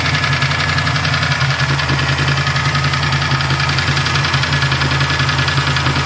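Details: Freshly assembled Mustang 347 stroker V8, loud rough idle with a fast busy tapping from the top end; owner suspects a lifter, unconfirmed.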